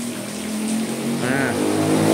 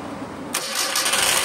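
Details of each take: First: Mitsubishi Colt T120SS starter motor bench-tested off the car on a battery, old vehicle that wouldn't crank: spins freely but its whirr wavers, coarse and uneven; works but rough. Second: Mitsubishi Colt T120SS after starter motor repair (shifted part re-seated so armature spins centered): short light crank catching at once, starter now spins freely and engine starts normally; old battery of over 5 years replaced.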